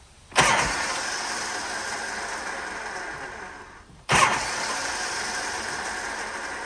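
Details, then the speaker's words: Harley Shovelhead with S&S Super E carburetor, in neutral with enricher on: each press gives a sharp clunk, then seconds of harsh, gritty whirring without firing; owner suspects the starter Bendix drive grinding on engagement. "let's see what the the starter sounds like you want to do that okay um neutral might as well put the enricher on all right here we go couple of squirts that's what I'm talking about I think it's a Bendix or the starter Drive"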